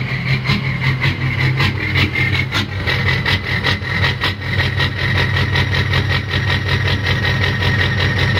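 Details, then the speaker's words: Ford 6.0 diesel, warm, with new injectors (first ones were bad), custom tune: uneven loping clatter about two beats a second, wavering loudness; rough idle, cause uncertain. "so here's the problem I'm having with idle I'll go ahead and start it up it's warm enough now you should be able to hear"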